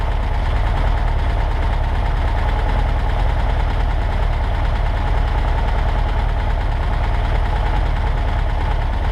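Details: 1963 Volkswagen Karmann Ghia flat-four at idle, first run in over 10 years after fuel delivery fix (varnished, hardened fuel line) and parts changed: steady even low chug, no misses or knocks.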